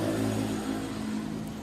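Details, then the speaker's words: Honda Vario 125 engine, freshly rebuilt, test-started with the idle adjusted: a brief, quiet, even note without knocks or rattles, smooth again unlike before; normal idle. "Nah jadi seperti ini kondisi sekarang ya Nah tinggal dicek aja suaranya sudah halus kembali"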